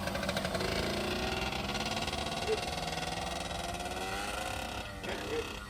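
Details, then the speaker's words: Yamaha YSR (1987 or 1989) two-stroke on a ride, running low on gas: light, buzzy note rising and falling smoothly with throttle, no misses or rattles; the engine sounds healthy. "here he comes thing is sweet"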